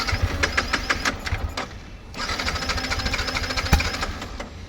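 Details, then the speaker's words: Yamaha MT-15 with a new battery fitted: the starter churns in uneven bursts but the engine never catches. Cranks but no start; the owner suspects an engine problem and suggests carburetor cleaning. "புது battery போட்டும் start ஆகல. இன்ஜின்லதான் இது பிரச்சனை இருக்கு."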